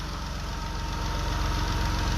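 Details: Warm engine with the thermostat open and the charging voltage low (12.36 V at the battery instead of about 14 V; module voltage dips to 12 V): a low, uneven pulsing idle with a slight shake; the cause is unconfirmed.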